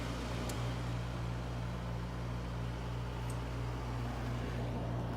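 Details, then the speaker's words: Grandmother's window air conditioner at its first start of the season, 72°F outside, back on low cool after cycling fan speeds: steady low hum with an even airy rush and no rattles or scraping; the fan is running normally. "Already cooling down pretty good. Let's go through the fan speeds."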